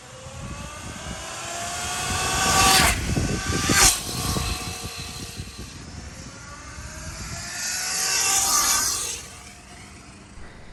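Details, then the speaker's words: 72v Sur-Ron electric dirt bike with stock belt drive, before primary chain conversion, passing by: motor whine rising and falling with throttle, smooth quiet drive, no chain clatter. "so this is what my surron sounds like right now"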